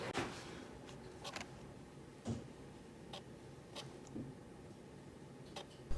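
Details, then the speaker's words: Canon 70-200 image-stabilized lens, after a drop made the stabilizer rattle, repaired by refitting its fallen-off limit switch: half-pressing the shutter, the stabilizer switches on with faint soft clicks and brief whirs, shutting off after about 2 seconds, no rattle; normal operation. "每次半按快门，防抖开启，声音正常。过了2秒钟以后，防抖会自动关闭，再没有出现杂音，问题解决。"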